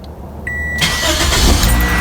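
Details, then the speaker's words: 2007 Toyota Corolla 1.8L after starter motor replacement: short chime, then engine catches quickly and runs evenly and strong, no grinding or slow cranking; normal start. "oh yeah strong all right so that's going to be it 2007 Corolla uh starter motor replacement"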